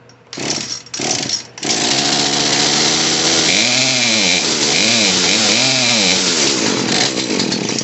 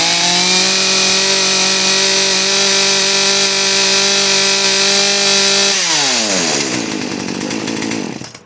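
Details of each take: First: Poulan P3314 chainsaw after carburetor and fuel line repair, choke off: catches after false starts, then revs unevenly, surging and sagging; mixture screw needs another quarter turn adjustment. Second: Poulan P3314 chainsaw after a carburetor and fuel line repair, choke off and idle screw turned up slightly: the small two-stroke engine holds a steady, even buzz at normal idle without moving the chain, then dies away with a falling pitch.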